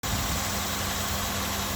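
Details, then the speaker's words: 2002 Chevrolet Impala no-start fixed by cleaning corroded battery terminal, starter wires and engine ground: fires right up into a steady, even idle with smooth low hum, no misses, knocks or stumbles; running cleanly. "took care of that and cleaned off the wires from starter and the ground going to the motor and then yeah fired right up runs like a kitten"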